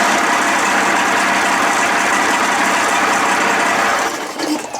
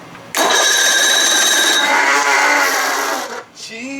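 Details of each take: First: 55 hp Evinrude two-stroke outboard, first run after a new starter, choked manually and running on water: busy, crackly buzz holding a steady pace with no knock or misfire; runs healthy despite an exhaust cover gasket leak. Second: 55 hp Evinrude outboard, new-old-stock replacement starter; harsh high-pitched whir and grind for about three seconds while cranking, then it cuts out; the new starter is noisy, worse than the old one, cause unclear.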